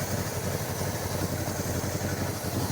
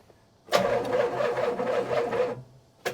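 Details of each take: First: 1977 Pontiac Can Am V8 first start after years sitting: steady, even low idle, no misses or knocks, timing not yet set, vacuum leaks unchecked; an exhaust leak underneath is noted. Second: 1977 Pontiac Can Am, first start attempt after years sitting, timing adjusted, jump pack connected: sluggish dragging starter whir that never catches; weak battery.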